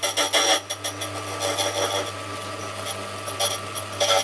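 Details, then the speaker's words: Restored Silca Super Special semi-auto key machine (broken plastic gear replaced) cutting a key: short bursts of light rasping over steady motor hum, no squeal or chatter; sharp cutter cuts cleanly, though slightly out of calibration, cutting a bit deep. "cuts very nice cuts very silently it's a little bit out of calibration i can definitely tell there"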